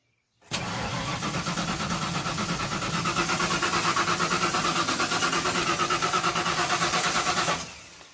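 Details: 1992 Ford F-150 4x4 with a 302 engine, sat 10 years, with a newer coil: the starter turns steadily, about three beats a second for seven seconds, and it never fires. Crank no-start, cause unconfirmed.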